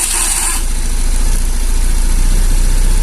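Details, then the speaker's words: 2013 Honda Beat scooter started by newly installed keyless remote, side-stand starter cut-off wires bypassed: brief starter whirr, then catches into a steady, even low putter with no misses; healthy start and idle. "Oke, mantap. Oke, lanjut lagi ya kak. Ini motor sudah hidup ya dengan remote."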